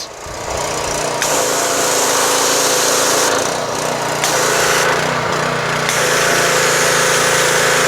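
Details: Pressure washer stored since last summer, started choked with garden hose attached: small single-cylinder engine runs steady with an even exhaust beat about four pulses a second, no knocks; sounds healthy.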